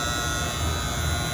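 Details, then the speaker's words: Freezer unit after coil wash, running: steady low electrical buzz with chattering coil at mains rhythm. A regular contactor was fitted in place of the Orion-style relay and is buzzing; sounds much better once changed out. "Someone's changed out the Orion style relay and put just a regular contactor in there. That's what's making noise."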